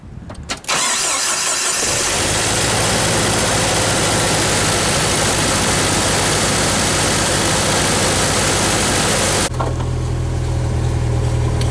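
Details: Jeep Wrangler YJ after new alternator and idler pulley: cranks briefly, catches and settles into a steady, even idle with no grinding or squeal; old alternator rear bearing had failed and was squealing.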